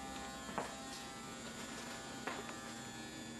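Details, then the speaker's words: Newly switched-on HPS grow light heating up: quiet, steady electrical buzz with a faint hum underneath, likely from the ballast; owner hopes it fades once warm. "Now you can hear the buzzing. And it wasn't that bad before, I could swear. Hopefully it'll kind of warm up and go away."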